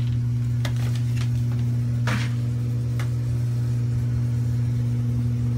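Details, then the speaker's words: Basement laundry-room furnace, looks in fairly good shape but runs noisy: heavy steady low hum and rumble with faint clicks, cause unclear. "laundry room down here furnace looks like it's in fairly good shape but a bit noisy"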